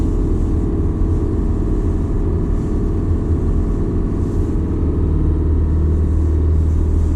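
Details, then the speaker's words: Detroit Diesel 4-53TIB on a cold morning, oil at 28°F, oil pressure reaching 100 psi cold with no oil heater, idled a couple of minutes then driven at 1000–1200 rpm: steady even low drone, no knocks or misses; normal warm-up running. "it's not too bad as long as you let it idle for a couple minutes the oil pressure seems to to settle down a bit"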